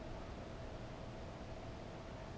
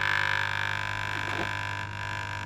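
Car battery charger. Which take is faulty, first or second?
second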